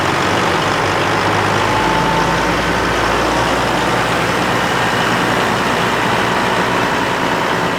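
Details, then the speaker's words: Kenworth W900 with Cat 3406E diesel, first start after new turbo, new oil temperature sending unit, oil pan and filter installed; big diesel settles into a steady, even low rumbling idle with no knocks, misses or whistles, sounding healthy. "everything's all ready to roll so uh Jared's going to jump up in there and he's gonna fire it up for the first time"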